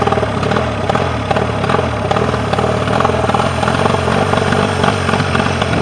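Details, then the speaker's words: Mercury 40 outboard that came in unable to idle; a balance check showed the bottom cylinder was not firing. Now both cylinders fire, with no crankcase leak, giving an even, steady two-stroke idle with no skipping. "start her up. Run on both cylinders."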